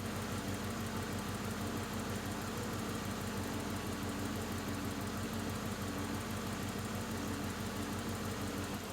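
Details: 1980-1996 Ford Bronco/F150 truck idling after a new adjustable fuel pressure regulator was installed and pressure was raised for a lean condition: an even, steady V8 rumble with no stumbles or surging, a normal idle.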